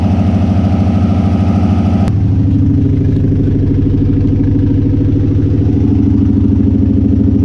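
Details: Subaru with a turbo and manual boost controller idling lumpy and uneven with a loping pulse and misfiring; the cause turned out to be a failed idle air control valve (IACV).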